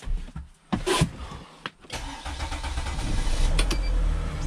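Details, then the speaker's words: 2010 Mercedes Sprinter diesel van (Freightliner-badged), customer vehicle with oil cooler seal leak, starting: brief cranking, catches within about two seconds and settles into steady idle, check engine light on; normal start. "all right as you can see it has started just fine the check engine light is on"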